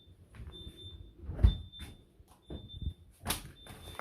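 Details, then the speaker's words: New fridge freezer just switched on after delivery: high, thin beeps in short bursts and pauses over handling thumps; warning alarm sounding, owner suspects because it is not yet at temperature. "turn it on hmm it's beeping ah that's because it's not a temperature i guess"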